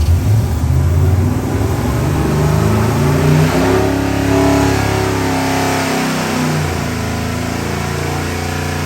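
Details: 675 hp 7.3 L Godzilla V8 crate engine for a '69 Ford Mustang, running on a new dyno during break-in: choppy, loping idle that swells with revs and drops back cleanly; strong, healthy engine with aggressive cam.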